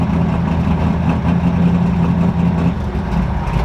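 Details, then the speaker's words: Ford F100 V8 (high-rpm build) idling with good oil pressure, owner suspects a main, thrust or rod bearing after sustained 6000+ rpm runs: deep uneven loping idle, exhaust sucks air back in, indicating a dead hole or misfiring cylinder; rough idle. "so if you have a dead dead hole or a misfiring cylinder it'll actually desell and suck air back in that's what's going on right there"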